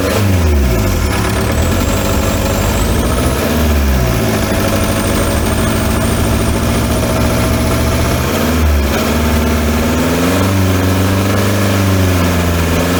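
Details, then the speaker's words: VW T3 (Transporter) with TDI diesel swap, after cylinder head replacement with reseated valves following damage when the bottom pulley came off; freshly refilled coolant, started easily, steady even idle with brief rev blips, no knocks, sounds much better now. "it wasn't too hard to start in fairness sounds a lot better now"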